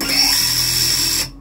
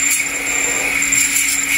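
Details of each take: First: Siccario cinelifter with BH2812 v3 motors, HQ 8x4.5x3 props and Betaflight 4.2.8, armed on the bench in quad-X mode (four motors only): whining motors waver and shudder from frame resonance, visible in the arms in flight and subtler when hand-held. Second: Smaller, less powerful quad on the bench with very high PID gains (master multiplier 1.5, PD balance 2): steady high motor whine, no wobble or surging, shows none of the frame vibration. Normal motor run.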